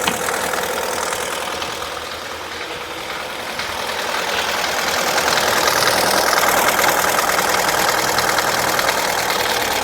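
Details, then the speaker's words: Chevrolet Cruze replacement engine, first start after engine swap, low on fuel with battery charger attached: even, steady idle with a smooth, unchanging tone. Normal idle. "So, right there, as you can hear, the engine is running. I'm going to turn off our battery charger. So, this engine sounds pretty good."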